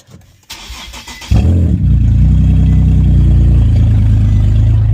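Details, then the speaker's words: Infiniti FX37/QX70 started with the stock Y-pipe removed before fitting an ISR Y-pipe: a short crank, then a loud, deep, raspy rumble at idle from the open exhaust, which sounds like crap. "all right so I got to move the car a little bit to the middle let's see how it sounds without the white"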